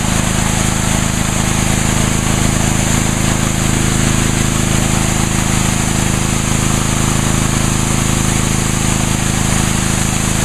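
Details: Brand-new Ryobi 3100 PSI pressure washer, 91-degree day, washing the patio with water only, 25-degree nozzle; steady, even drone with constant spray hiss and no change in pitch; runs smoothly and healthy.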